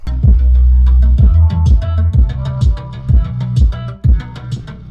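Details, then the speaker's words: 2014 Mazda6 Grand Touring driver-door Bose speaker after gluing its separated, rattling speaker with CA glue: music with deep, punchy bass and steady drum beat plays cleanly, no buzz or rattle. "well that sounds a whole lot better"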